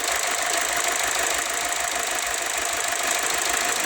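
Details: 2007 Ford Escape at idle: uneven lumpy beat with periodic stumble under loud hiss; one injector sprays weakly and hesitates, causing misfire; injectors passed cleaning on 12 V though car supplies only 8–9 V.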